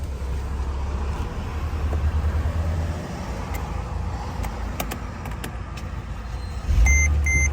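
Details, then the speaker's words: Car with a no-crank, no-start fault blamed on the body control module. With the relay activated through a jumper wire, the starter churns unevenly with a few clicks, then the engine catches and runs. Pulling the wire cuts the ECM supply and stops it. "यह लगा दी अभी गाड़ी करंग करेगी relay हमारी active हो गई है यह देखें ठीक है गाड़ी स्टार्ट हो गई है"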